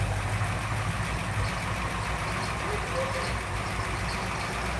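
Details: V8 car that just caught: steady low rumble holding even with no stumbles or popping; running smoothly with consistent spark. Normal running.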